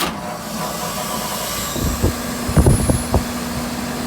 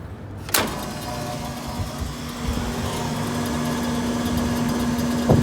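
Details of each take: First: Walk-in cooler scroll compressor that would not start, running again after its wires were swapped and restored: 14 A inrush, about 10 A running, suction pressure low. Steady hum with some clunks; something possibly lost inside. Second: Walk-in cooler scroll compressor that would not start, restarted after leak check, vacuum and opening service valves: thump at start-up then steady even hum with no knocking or rattle; running normally.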